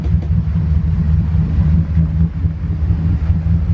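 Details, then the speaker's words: 1999 Bayliner 3055, twin 5.0L MerCruiser Thunderbolt engines, about 1000 hours each: deep steady low rumble from both engines, even beat, no misses or knocks, straight after dead cold start, temp gauge at zero; normal cold idle. "running both partner right up from dead cold start you can see there's zero registration on the tempeh"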